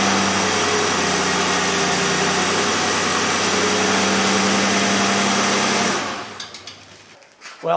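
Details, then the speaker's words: 2003 Chevrolet Impala 3.4L after ignition work for a P0300 misfire with flashing engine light: smooth, even idle with no stumble or skipped beat, misfire gone. "it for the misfire po300 i'll clear the codes in this drive it make sure i don't have any problems take a look at the scanner if you have a scanner you know i can watch the misfires unless they're already but certainly sounds like there's not doesn't feel like there is"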